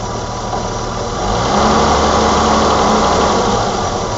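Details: 1987 BMW E28 520i, M20 2.0 L six-cylinder, 129 hp, nearly 400,000 km, recorded on a Nokia N73 phone: smooth, even idle hum with a steady beat, no knocks or misses; runs excellently again.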